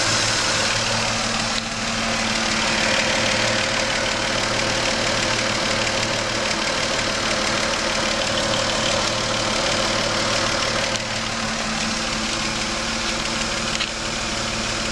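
Steady idle with a fast, fairly regular ticking knock, about three per second, over a hissy background; knock at idle, cause undetermined.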